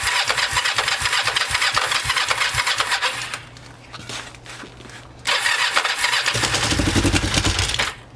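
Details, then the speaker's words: Kawasaki Ninja 500 after an oil change, cold weather, third start attempt with a possibly weak battery: the starter cranks in bursts and the engine catches briefly, stumbles, then cranks long again. It had idled at 4000 rpm with the choke off, so idle was lowered; hard starting. "i was just trying and uh it wasn't starting"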